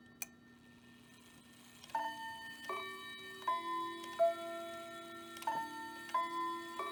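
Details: Hamilton bracket mantel clock from an estate sale (movement doesn't run, chimes work), viewed from the back, 15-minute chime: clear bell tones in an unhurried four-note group over a quiet steady tick, a normal quarter chime.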